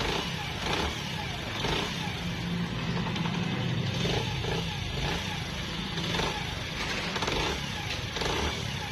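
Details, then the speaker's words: Honda CD 70 after head work and tappet adjustment; timing chain replacement had not cured the engine noise; the single-cylinder now idles at an even, steady beat with no top-end knock or rattle; noise fixed without an engine overhaul. "आपकी bike की आवाज़ बिल्कुल ठीक हो जाएगी engine करवाने की जरूरत नहीं है"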